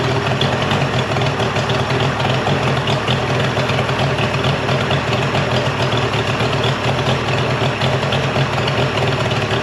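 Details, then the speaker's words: Mercury 50hp three-cylinder two-stroke outboard after full service, new switch box (old failed DVA test at about 230V) and clogged telltale hose cleared: steady even low drone, no misses, firing on all cylinders, runs great. "So the motor runs great. I'm sure you guys can tell I did clean it up already."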